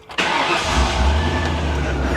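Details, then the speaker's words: 1998 Ford Explorer, 26 years old, on a spare fully charged battery, fuel gauge showing empty: one short crank, fires instantly into a smooth even idle with no ticking, knocking or smoke; healthy start. "Listen to her. Unbelievable. That's the smoothest 26-year-old car I've ever heard run. No ticking, no knocking, no smoke."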